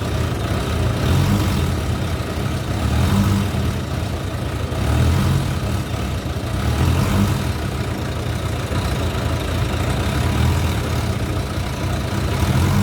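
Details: Motorcycle started cold after its broken starter weld was redone and the throttle cable slack and grip position were adjusted: steady low idle with a few gentle revs that climb and settle cleanly, responding to throttle normally.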